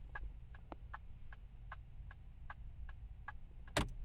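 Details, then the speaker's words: 2006 Chevy HHR in cabin with aftermarket Pioneer stereo: faint even turn signal ticking about 2.5 per second over low hum; the chime sits behind the radio, so blinkers are barely audible. "The chime that actually comes with this vehicle, it does work, and you can hear the blinkers, but barely hear the blinkers. But the chime is louder than the blinkers, so when I turn the blinkers on, if you"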